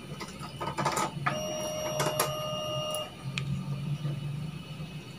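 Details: Honda Vario 125 (first generation, injected) at key-on after repairing a total electrical failure and refitting the relay: a few clicks, then a thin steady whirr for about two seconds as the fuel pump primes normally.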